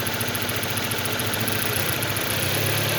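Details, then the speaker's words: 2006 Ford Focus with a shaking idle from a broken coil pack connector wire: with the connector pressed in by hand, the idle turns steady and even with no stumble or shake. New plug wires and coil pack had not cured it. "nyo, tumitining yung tunog, walang shaking."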